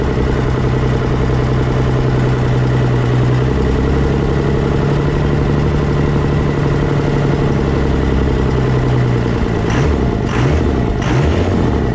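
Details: Cummins 24-valve diesel pickup just converted to a P-pump, first fire-up: steady, even diesel clatter at idle, no misses or stumbles, then a few light blips; runs pretty good, before fitting 4K governor springs.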